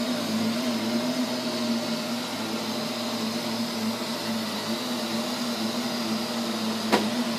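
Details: Neato robot vacuum, used fewer than 30 times, suddenly making loud noises at random intervals and lengths: steady low hum with faint high hiss and one sharp tick near the end; cause unknown.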